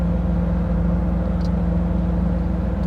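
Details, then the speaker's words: 1985 Pontiac Trans Am (Knight Rider promo car) idling: low, steady rumble with an even beat, no misses or knocks; idles nice and smooth, normal healthy idle. "Idles nice and smooth."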